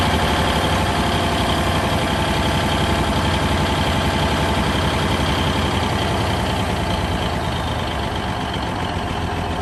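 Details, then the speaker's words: 1971 Peterbilt 352 diesel, sat for a few days, idling after a cold start: steady, even clatter with firm low rumble, no skips or knocks; running healthy. "pretty good been sitting for a few days"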